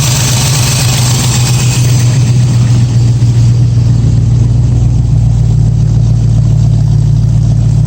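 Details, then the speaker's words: 1965 Mustang V8 after refitting a Holley carburettor (briefly flooded on start): deep, even burble at steady low speed, no misses; back to a clean, settled idle. Owner notes an exhaust leak. "Back to nice idle again."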